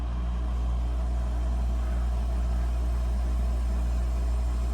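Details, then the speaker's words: Emerson 5000 BTU air conditioner on an EcoFlow Delta 2 in a skoolie, temperature set to max cool: compressor kicks on with a steady even low hum, no knocking, rattling or cycling, drawing about 331 W; normal running. "All right, let's crank up. Let's put the temperature on max or closer to max. Hear the compressor kick on."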